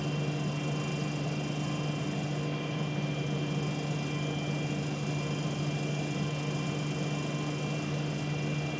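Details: Trent Barton Wright Solar bus FH54 VRY: a steady low buzz over the diesel idle whenever the engine is on, source unclear.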